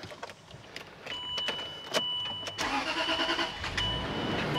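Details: Land Rover LR3 after water pump replacement, following a cylinder 6 misfire and check-engine light on the trip: quiet, then engine catches and settles into steady, even idle with no stumble or miss; running normally.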